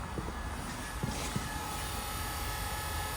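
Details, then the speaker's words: Mitsubishi Evo with three dash warning lights, second-hand AYC pump fitted, brake and throttle pressed with diagnostics connected, heard at rear: faint steady mid-pitched hum over idle; pump running normally, pressure switch or pump pressure still suspected. "yep yeah that says to me the pump does work um so everything's working there"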